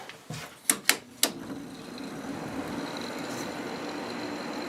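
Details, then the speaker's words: Quasar window air conditioner, new capacitor, first start after install: a few clicks then soft even hum with faint airflow, extremely quiet; normal compressor start. "did start. This thing is extremely quiet."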